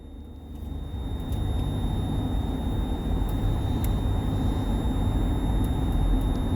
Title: Whining Noise in Van